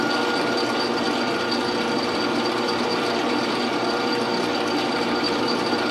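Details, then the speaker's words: Lathe boring the body of a bench-grinder diamond dresser: steady high-pitched whine over the cutting noise as the carbide boring bar, overhung about 7.5 times its diameter, chatters in the bore. "hopefully you could hear that chatter you know I've been trying to minimize it but it was there that really high-pitched whine that was that boring barb chattering in that hole"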